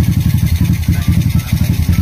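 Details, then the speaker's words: Honda RS 125 motorcycle after top overhaul for an engine knock, with a damaged piston found: single cylinder beats at an even regular pulse at idle with no knock; engine now quiet, normal idle. "Tahimik na siya. Talagang black lang ang naging problema niya nung nabalian siya."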